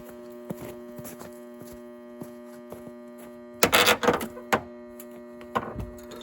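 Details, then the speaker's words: Battery charger connected to a battery: steady low electrical buzz under clicks and handling noises, charging hard and noisily; owner suspects the charger is junk. "flame's just pushing power. It makes a bunch of noise, like it is. Maybe it's gonna blow up."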